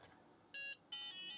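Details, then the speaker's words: Book8088 laptop with a UMC part fitted in place of the Harris part: short clear beep, gap, then longer steady beep; passes POST and boots, Harris chip assumed faulty. "okay the UMC part is in and it freaking booted up it freaking booted up that means that this Harris chip I'm assuming is going to be the faulty part"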